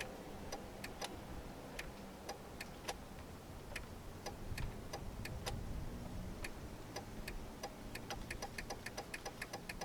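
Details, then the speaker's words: 2000 Jeep Cherokee: the flasher relay clicks fast, about three times a second, with no turn lights or dash indicator blinking, because a faulty turn signal switch hangs and won't click fully off. It stops when the switch is touched. "All right, I don't know whether I hit it coming in, but if you could hear that real fast clicking, there's no lights blinking right now. There's no indicator on the dash blinking, but the flash is going like crazy."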